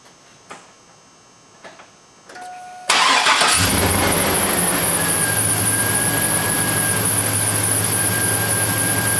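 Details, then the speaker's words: 2000 Silverado 1500 Z71 5.3 V8, squeal began after a water pump replacement: a sharp, steady high squeal over the idle right after start, a slipping worn serpentine belt. It persisted after an alternator swap; owner suspects the idler pulley next. "okay so I guess that was a failure apparently the alternator wasn't making the noise"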